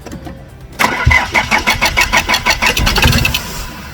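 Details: Van diesel engine cranking after being a non-runner, with fuel leaking from injector number one; fast, even chugging of the starter turning over about three times a second without catching; hard starting, extended cranking.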